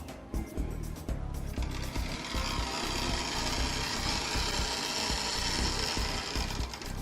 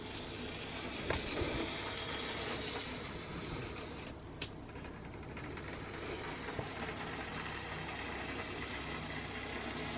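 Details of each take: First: Lima OO gauge class 73 (73129 City of Winchester) model locomotive on its arrival test run before servicing: busy, rough grinding rattle throughout with no clean motor hum, very grindy, needing a full service. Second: Lima OO-gauge class 73 model locomotive (73129 City of Winchester) on track after full service, with bearings oiled; quiet, even whirr with steady light gear ticking at slow speed, no stalls or surges: smooth slow running.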